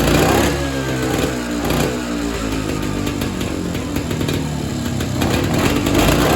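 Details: Evinrude Bobcat 25hp two-stroke snowmobile, sat 20+ years, carb diaphragm stack reinstalled: buzz wavers, flaring and dropping back, won't settle or tune; owner suspects air leak or hardened carb diaphragm needing a kit.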